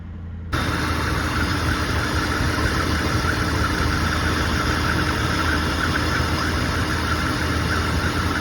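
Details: Car idling after replacing seized AC compressor clutch bearing, clutch and coil and refitting the belt: steady, even idle with a smooth hum and no knocks, ticks or squeals; back to normal.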